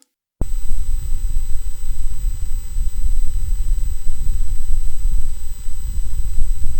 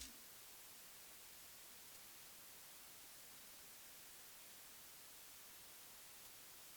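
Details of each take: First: Focusrite Scarlett 1st Gen mic preamp, which grows noisier after running a while, cause unknown; after brief silence a loud steady hiss and low rumble with thin high whistle sets in; excessive preamp noise. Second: Focusrite Scarlett 1st Gen mic preamp with a dynamic microphone connected; two spectral spikes appear then drop, leaving a faint smooth steady hiss, no hum or crackle; normal preamp noise floor.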